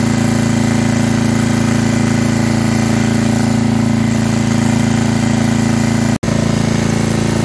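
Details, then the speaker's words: Estate-sale generator after carburetor cleaning and hours of adjustment; loud steady low drone with fast, fairly even pulse about four a second and slight unevenness; main issue found to be governor arm tension, still needs slight tweak. "not bad at all it's working for now i still can tell it needs a few more adjustments"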